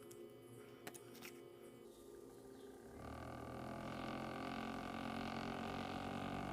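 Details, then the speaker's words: RGB gaming PC case fan with sealed sleeve bearing spins up to a rough, buzzing hum and vibrates; dust and sticky old grease in the dry bearing cause friction noise, fixed by opening, cleaning and lubricating. "The fan vibrates and makes a strange sound If it spins on the base, vibrations will make noise in the PC"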